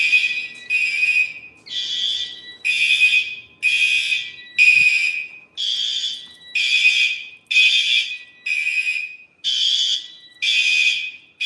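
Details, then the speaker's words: A fire alarm panel drill with the horn disabled; the panel shows a disabled trouble but is otherwise normal: loud, high-pitched alarm bursts of about a second each repeat with short gaps. A normal drill signal. "And yes, since I did disable the horn, we do have a disabled treble, but otherwise it is normal, so."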